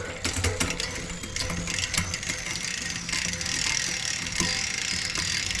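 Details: Shimano 11-speed drivetrain after derailleur, hanger and shifter cable replacement, B screw adjusted and gears indexed, camera close to the wheel: quick run of clean clicks across the cogs, no grinding or chatter; smooth shifting.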